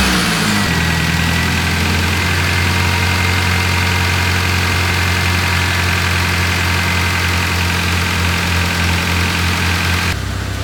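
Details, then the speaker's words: 2001 Honda Accord after a cranks-no-start with no spark: the distributor wiring, cut and broken in the loom, was lengthened and spliced in the right order. It now starts but idles rough with an uneven, lumpy beat and a faint knock. Cause of the rough running not yet found. "uh we lengthened up the broken wires spliced them together with the distributor in the right order uh got spark and now it runs uh run bad"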